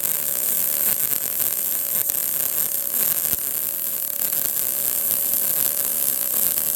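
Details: Arccaptain MIG200 inverter MIG welder laying a weld on a tacked joint: steady, even frying crackle with no popping or spatter bursts, a smooth, well-settled arc giving full penetration without burn-through; normal MIG welding arc.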